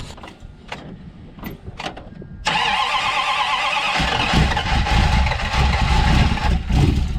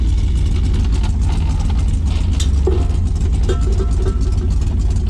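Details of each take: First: Dodge Dart after electronic ignition conversion, cold day: cranks a few seconds, catches and runs rough and uneven with lumpy stumbling beat; ignition timing likely needs setting. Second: Dodge Dart, carbureted, just converted to electronic ignition with an ignition box and MSD 0.8 ohm resistor: low, steady idle rumble under shop noise, no misfire or stumble; running better than ever, normal idle.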